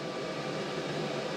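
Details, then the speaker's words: Montek X1200 prototype power station (1200 Wh LiFePO4, 2000 W inverter) solar charging at 110 V input: steady loud even airy rush with no rhythm; cooling fan running flat out, excessive fan noise. "100 volts uh 12 amps 110 volts and the fan is really kicking on in this unit"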